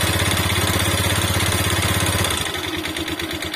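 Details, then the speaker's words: Motorcycle without a kickstarter found run completely out of oil, refilled with used oil and started. An uneven, lumpy idle with a harsh clattery edge; it reportedly gets much worse and smokes heavily when hot. Rough running from oil-starvation damage. "Saya tutup lagi, saya kasih oli bekas, dan alhamdulillah sudah bisa nyala ya. Ini sudah bisa nyala. Nah tapi suaranya bosku ya, suaranya tuh kayak gini."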